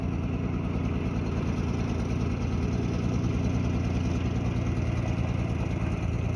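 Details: 1951 Dodge old six-cylinder, hot day: steady, even low rumble at smooth idle, no misses, knocks or ticks; some oil burning off the headers or valve covers; generator not working; normal idle.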